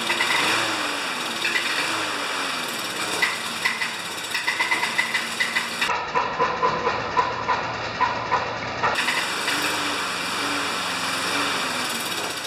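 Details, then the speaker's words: Murray mower with Briggs single-cylinder engine, not run for about 10 years: rough running with heavy regular metallic "death rattle"; no blade slack, owner wants to check the flywheel key — engine rattle, cause not found. "I want to check the flywheel key because the engine has such a heavy death rattle it doesn't sound like it should"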